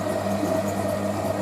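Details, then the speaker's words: Hotpoint 9530 Electronic 1000 Plus washing machine, towel load on boilwash: steady hum with a high squeak pulsing about four times a second from the drive during the wash; owner says it's just the motor, nothing wrong. "That sound, that squeaking, is it's just the motor that does that. There's nothing wrong with the machine"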